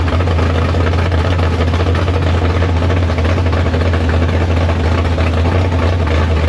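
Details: Big block Chevy V8 in the Farm Fresh gasser, first start after sitting, 750 carb, downjetted; deep, heavy, even rumble about three or four pulses a second, holding steady at temperature. Healthy normal idle.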